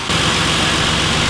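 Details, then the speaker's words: 2008 Ford Explorer starting and idling right after a fuel filter replacement (old filter completely plugged): steady, even idle with a smooth low hum, no stumble or hunting; a big improvement, normal idle. "after starting it and taking a look it's already a massive difference idle"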